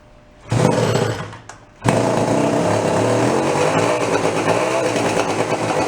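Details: Homemade twin-engine two-stroke moped built from scrap, first start after sitting over a year, choke in play: catches after a cough into a raspy, slightly uneven buzz. Only one engine fires; owner thinks the other has no fuel yet.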